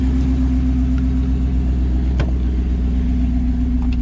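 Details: 2009 Ram 1500 Hemi TRX4 idling after a factory remote start via the newly enabled feature: a deep, steady V8 idle with an even low rumble and no ticking or misses. It runs smooth and healthy.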